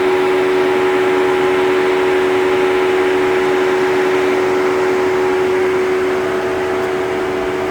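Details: Jeep Wrangler 4xe charging on 120V (13 hours 0% to full) at 30 °C (86 °F) outside: loud steady whirring drone with constant mid-pitched hum, battery cooling running hard until charge ends or Jeep is disconnected, normal.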